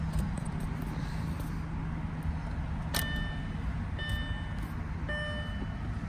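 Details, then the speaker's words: 2008 Audi S4 idling with no check engine lights, heard at the rear exhaust: a steady, even low rumble with no skips or stumbles and a door chime pinging; normal exhaust note, no misfires. "so this is exhaust I mean doesn't sound like any misfires or any of that sounds very normal"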